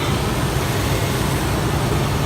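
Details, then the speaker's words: 2003 Toyota 4Runner V8 started after replacing the idler pulleys and belt tensioner assembly and topping off coolant: smooth, steady low hum with no squeal, chirp or rattle from the belt; normal belt drive after repair. "There it is. Running smooth again. Sounds good. Looks good. Everything's running properly."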